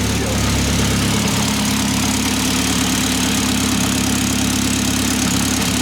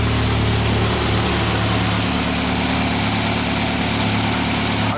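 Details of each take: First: Fully built Mitsubishi Evo X SST with a PT 6466 turbo, first start after long storage: loud steady idle with a fast buzzy rattle from the exhaust downpipe, not the engine; owner suspects a heat shield the downpipe rests on, not an exhaust leak. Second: Built Mitsubishi Evo X SST with a PT 6466 turbo, dual valve springs and very high-lift cams, at idle: a light, constant top-end tappy tick over the exhaust burble, which the owner says is normal for this valve train. He is also unsure whether there is an exhaust leak.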